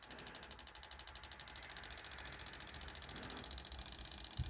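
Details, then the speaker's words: 2011 Chevy Camaro with check engine light, misfire and intermittent hard start complaints; engine sounds ragged with an uneven ticking pulse right after start; cause not yet confirmed. "let's move this camera over foreign sounds raggedy already"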